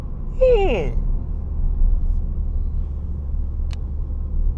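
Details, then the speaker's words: 2014 Ford Fiesta Ambiente 1.4 Duratec rolling on newly fitted Radar Dimax Sprint 195/50 R15 86V tyres: only low smooth road rumble, no rhythmic woo-woo pulsing heard with the old tyres; quiet tyres. "Okay, this is sold as a high performance low noise tire. And when it comes to noise so far, I think it's a check for me"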